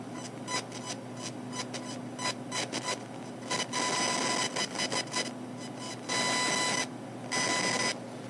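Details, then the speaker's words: PC speakers, turned up loud with a phone mic in front, emit buzzy electronic chirps and bursts over a faint hum whenever the mouse moves, pages load or a video loads: electrical interference noise. "this is me doing a circle with the mouse up and down in a [Music] line left and right now this is me loading a web uh a page you physical [Music] this is with a YouTube video loading in the background but the volume down makes the sound moving the mouse [Music] again it's very very annoying"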